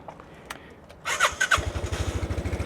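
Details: 2020 Piaggio Liberty ABS 150cc scooter at 15,700 miles, just fitted with new belt, Malossi variator and fan, new stock clutch and 13.5 g rollers: after a few clicks it fires at once and settles to an even putter of about ten beats a second; normal start and idle.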